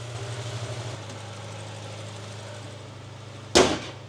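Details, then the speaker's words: 2005 Honda CR-V with K-series engine idling after fuel injector cleaning with the cover reinstalled; it sounds the same as before and was not misfiring beforehand: steady, even low hum, one handling knock, a normal idle. "car sounds the same doesn't idle any differently which again it wasn't Mis fying or anything like that"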